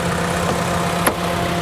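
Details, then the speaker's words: 2010 Mitsubishi Lancer salvage-auction car, started at the lot: smooth, steady idle with an even low hum and no ticking, knocking or misses; engine sounds healthy, normal idle. "She runs good. It sounds healthy, guys."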